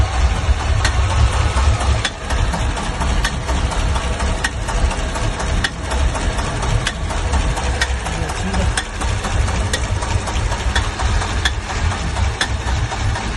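A sharp tap repeats roughly once a second over a steady idle, clearly audible above the engine; the engine knocks, cause unknown.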